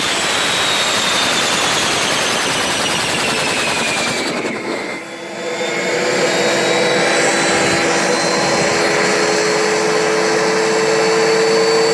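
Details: Turbo barrel on a cage buggy heating wood for pyrolysis gas: high turbo whine drops sharply around four seconds, then carries on at a lower steady pitch; the turbo won't hold boost.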